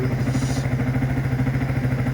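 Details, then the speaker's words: MT motorcycle test run after 16,500-mile oil and filter service, new battery, chain cleaned and waxed, no leaks: even steady idle thump about eight beats a second, no ticking or clatter; normal idle. "Well, here we go folks, I'm just out test running it after doing the oil service, filter changed the battery, and it's also had the chain cleaned and re-waxed. So all is good."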